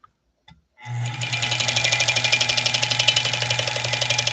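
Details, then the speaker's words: Embroidery-capable sewing machine, some stages not working, run before oiling: fast, harsh metallic ticking about four per second over steady motor hum, very dry; dry mechanism lacking lubrication, later oiled with sewing machine oil. "real dry. I'm reluctant to run it too far because it's very dry. Can you hear that?"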